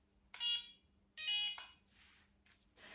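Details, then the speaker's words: Tria home non-ablative fractional laser on first setting: two short high-pitched beeps about a second apart over quiet room noise, the device's normal signal that a treatment zone (zones 1–4) is completed. "It will just beep when you've completed a zone. So you use it on zone 1, zone 2, zone 3 and zone 4."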